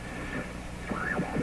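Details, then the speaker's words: General Electric C600 radio during RF capacitor replacement, signal injected, volume low: warbling, sliding whistles and garbled tones over a low steady hum; strange noises, cause unknown. "all those rather horrible sounds Petra dines everywhere so that's kind of interesting"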